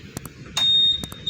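Two sharp high beeps with clicks, a clean steady chirp confirming the smart key unlocked the scooter; the system is responding normally.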